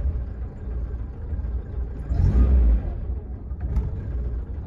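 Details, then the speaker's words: 2006 VAZ Lada Kalina 8-valve won't hold idle and stalls: idle sags below 500 rpm after a throttle blip, low, uneven, surging, with a shaking rumble. Owner replaced all sensors, including idle control; MAF sensor checked next. "Оборот өте төмен екен. Мотор жағы тірайт етіп дірілдеп тұр."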